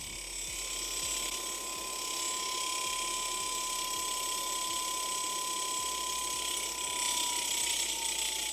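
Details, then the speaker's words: 20-year-old first-generation Razor MX350, wheel spinning: faint rhythmic rubbing ticks once per revolution under a motor whine that sags as it slows. The brake rotor drags because the caliper is off-centre; the fix is centering it. "That grinding sound that you might be hearing is from brake rotor drag, which I'll be adjusting shortly. I just need to center the caliper."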